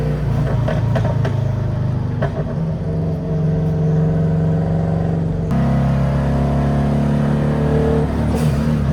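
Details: Subaru WRX-engine-swapped Beetle (about 300hp, turbo) on a test drive after new spark plugs: the turbo engine pulls under load, then the note turns uneven and choppy and breaks up as boost builds. At this point the owner is told ignition coils are likely, but it is finally traced to fuel starvation from a clogged fuel filter.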